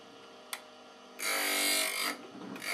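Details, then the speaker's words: KEF Slibette 8 drill grinder, machine not bolted to the floor: bit turned to grind its second edge with a full swing until no sparks remain, giving short bursts of high, even grinding hiss with quiet motor hum between; normal grinding. "But I turn it around to make sure I do both sides. There's no sparks left."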